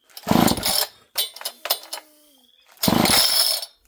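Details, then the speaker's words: Homelite chainsaw, hard to pull over and of unknown running history, fails to start: several rasping pull-cord strokes with brief pops in between, but it never catches and runs. Cause not confirmed. "And there you go, friends. She is not a runner today."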